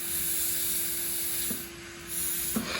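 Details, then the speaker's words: Central vacuum motor after vacuuming the entire house, hose left upstairs. Steady motor hum with a loud airy hiss that drops off briefly when the hose inlet is sealed tighter: air leaking at the hose inlet. "i left the hose up there leaks unless it actually isn't already very tight seal that's better"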